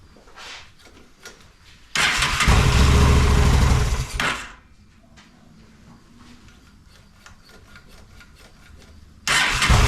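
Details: Honda Shadow motorcycle (possibly 650) that sat almost a decade, old bad gas, on choke with fuel sprayed in: catches and runs rough two seconds, dies, then fires again; runs only on sprayed fuel, clogged carburetor.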